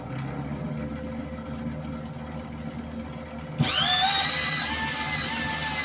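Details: Old MIG welder modified to feed wire better, tested after reassembly: a quiet hum, then the wire feed motor spins up to a steady, smooth high whir; it works properly.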